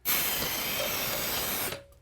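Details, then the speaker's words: Manual tile scratch cutter: the brass scoring wheel is pressed down and drawn across the tile in one pass, giving a steady, harsh scratching hiss of under two seconds, the normal sound of a proper score. "there should be a little round brass wheel here this little wheel it does all the work for you so you push this down until the wheels there you'll hear it grinding"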